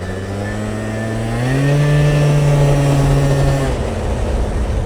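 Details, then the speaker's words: 50cc two-stroke scooter after a variator roller change: the buzz climbs briefly, then holds a steady moderate pitch while pulling instead of screaming high. The CVT is now shifting properly, with a normal takeoff engine speed. "can hear it not revving as high right away, like it's not giving it all it's got right off the bat. Transmission's actually shifting now."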